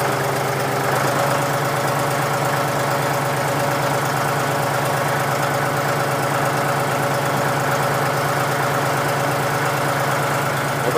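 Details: John Deere 5103 diesel tractor, real cold start at about 29-30°F after sitting several days: steady, even diesel clatter at low idle with no misses or knocks, settling in and warming; normal cold-start idle.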